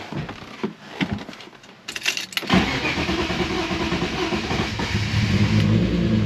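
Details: BMW E36 with M50 intake manifold conversion, first start after work on vacuum leaks: keys rattle, starter cranks, engine catches into uneven lumpy idle that never settles; still rough, vacuum leak suspected.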